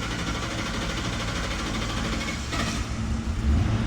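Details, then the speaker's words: 2003 Mercury Grand Marquis 4.6 V8, runs rough and stalls, fuel pump and plugs already replaced, fuel pressure only 14 psi: starter cranks long before catching into an uneven idle; rail not holding pressure, fuel pump leaking inside the tank. "And that's noted by the fact that, you know, we have a really long crank time, which means that the fuel rail is not maintaining the pressure."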